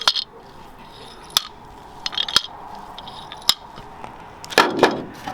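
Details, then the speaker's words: HMMWV fuel gauge fault, new fuel sending unit shaken by hand: light sharp clinks and rattles show the float moves freely, unlike the old unit, which was silent with its float stuck after sitting with half a tank of fuel. "with the new one you can hear the float in there"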